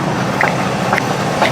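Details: Repaired G80 rear differential on a limousine, heard from under the car at idle after repair. Smooth, even whir from the rear end with no clunks, grinding or whine; differential sounds healthy.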